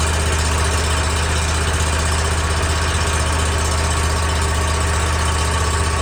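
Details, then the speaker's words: New mower just after its first oil change (inverted vertical filter, not pre-filled), run at low RPM on initial start to pressurize oil and fill the filter; even, low thrum of about 3 beats/s with no misses or knocks, healthy idle. "Initial start, low RPM. You want the oil to pressurize and get that oil filter full of oil without starting the crankcase. So you want lower RPM."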